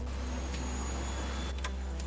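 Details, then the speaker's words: 2010 supercharged Audi S4 manual, long-sitting, battery at 12.2 V, after a JXB extended slave cylinder install: pushing start with clutch in gives only a steady hum of the rear fuel pump priming, no starter cranking; owner suspects the starter. "all I hear is like it sounds like a brushless fuel pump or something in the back that's all I hear it just like primes the pump each"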